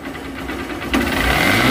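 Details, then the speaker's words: Hero Hunk 150R single idling, then picking up slightly, with an even beat and no head rattle after repair of its engine head noise problem; sounds perfect. "একদম perfect sound. তো বাইকটা এখন আমরা চালাই আসবো।"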